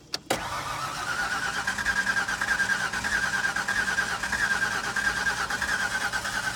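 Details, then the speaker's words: 1994 Mazda B4000 4.0 4WD manual, 167,379 miles, towed in not running: starter whirs with even compression pulses about one and a half per second but never catches; crank no-start, lack of fuel suspected, not confirmed. "it sounds like it has compression it's just looking for that fuel which it does not have"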